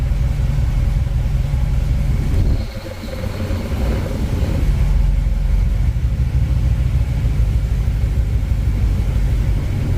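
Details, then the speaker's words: 1959 Chevy El Camino, off the road 29 years, after the driveline carrier bearing was repositioned and bolted into the crossmember. Rolling out in reverse there is a steady low rumble with no clunks, knocks or whine underneath; quiet, healthy driveline. "All right, she didn't make any noise backing out, so I'm pretty sure that fixed it."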